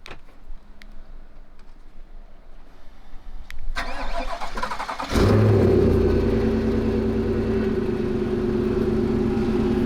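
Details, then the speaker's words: GMC Sierra AT4 with a recent misfire issue, cold morning start at −28°C: quick cranking, a brief stumble, then a steady, even idle. The hesitation is put down to severe cold; running fine. "seems okay I think the hesitation is just severe cold weather"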